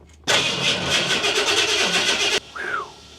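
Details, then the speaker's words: Big block engine first start attempt: about two seconds of fast steady starter cranking with no fire; computer wired to a fuse that loses power during crank, so it cranks but won't start. "so what I put the computer on is not a stay on fuse so let me find one one that stays on during crank and then we'll start over again"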